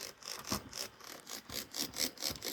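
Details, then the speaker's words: Dexter the Singing Duck toy, before repair, mouth mechanism running: quiet scratchy ticks about four a second from a split plastic gear slipping teeth in the small gearbox, which is why the mouth doesn't move. "not sure if you can hear that on the camera but it's ticking that's why the mouth doesn't work"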